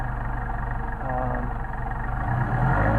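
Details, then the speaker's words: Mercedes 190SL on re-tested Solex 44PHH carburetors, no load: the petrol engine idles low and fairly steady at about 800-900 rpm with a soft even pulse and a slight rise near the end; idle is deliberately set low and is adjustable. "These are around 800-900. They're a little low. I always ship them out low, just people can get them to whatever idle they would like."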